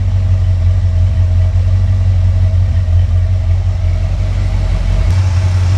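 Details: Engine pulled from a Squarebody truck, on a test stand with open headers: deep, even, smooth V8 idle with no misses, ticks or knocks; a healthy normal idle.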